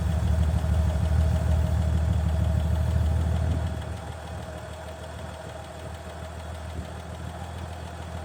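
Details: 1965 Chevy C50 grain truck abandoned for years, idling on a temporary bottle fuel feed bypassing a suspected faulty fuel line; low, regular thump at about three beats a second, settling slightly quieter but staying smooth. It is running fine.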